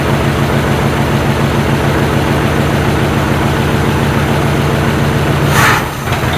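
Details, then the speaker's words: 1968 Chevy C10 small-block V8 just revived after sitting 15–16 years on old fuel: steady, even idle with smooth low rumble, no knocks or misses; good oil pressure, sounds healthy, maybe needs a touch of tuning; normal idle. "well she's a runner sounds pretty healthy maybe needs a touch of tuning still"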